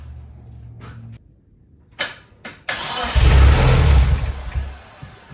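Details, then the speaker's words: Race car being readied for the season, jump box attached: a few clicks, then the starter churns about a second and a half but the engine never fires; no fuel pump sound heard and ECM link won't connect. "I did try starting the car. I don't even hear the fuel pump kicking on or anything like that. So I'm missing something."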